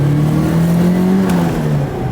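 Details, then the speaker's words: Nissan S13 240SX SR20, turbo, restarted after a compression test that left oil in the cylinders (smoke out the back): coarse, uneven, missing drone with no power and flat pickup. Owner suspects badly retarded timing, though it builds boost fast; not confirmed. "Sounds cool, but... Sounds cool, no power. It sounds like the timing is just way retarded."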